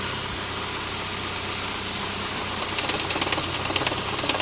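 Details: MGF idling engine: light, irregular tapping over the hum that grows sharper near the end; knock at idle, cause unknown.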